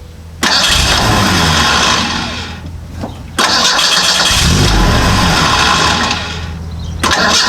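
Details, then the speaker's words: Model A hot rod coupe with a 2.3 L Ford 4-cylinder and Duraspark II ignition, new ignition box fitted: repeated cranking bursts, each catching briefly then dying. It fires on crank but won't stay running; the owner suspects the box, solenoid or ignition lead. "The thing will fire and then once and then it quits. That's not good."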